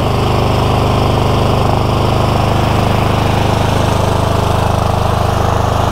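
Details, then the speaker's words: Cub Cadet GT2 LX42 twin-cylinder tractor engine chugs unevenly with a lumpy beat, not typical surging; owner suspects one cylinder cutting out, spark looks weak and one plug wire looks poor; rough running, intermittent misfire, cause unconfirmed. "this is not surging in any typical surging sense this sounds like something else"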